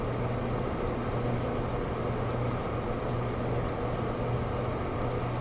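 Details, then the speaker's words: Vintage HP 150A tube oscilloscope, cover off, ~5000 V CRT supply: crisp uneven ticking about six per second over mains hum, trace flickering; suspected leaking capacitor shorting as it charges, unconfirmed. "uh but i can hear some clicking in there which tells me that uh probably i've got a leaking capacitor maybe that as the capacitor gets charged it shorts within itself and that's causing kind of a repeating loss of high voltage"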